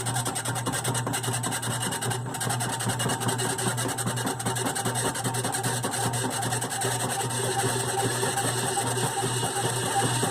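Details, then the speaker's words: GE washer model WDRR2500K3WW, right after filling as agitation starts (sometimes at the second agitation): loud rasping, ratcheting grind about two to three times a second that typically clears after a few minutes. It still washes; cause unknown. "when the noise occurs is right after it fills and it is about to start the agitation agitation cycle"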